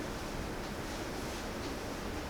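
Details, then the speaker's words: Ductless mini-split indoor unit, 7 years uncleaned and previously noisier, after cleaning the fan and evaporator coil and refitting filters, running cooling mode at maximum fan; steady even air rush, no fan rattle; normal fan airflow. "Yeah, I don't know. It's quiet enough. I don't hear the fan rattling, which is the big thing."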